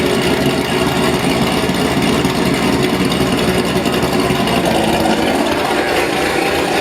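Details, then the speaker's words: Cammed Corvette on base tune at first fire-up, still warming up and fueling not yet dialed in: loud choppy loping idle about two beats a second from the big cam; normal. "let it warm up but it's you can hear the cam already now i just got to dial the fueling in he'll be good to go"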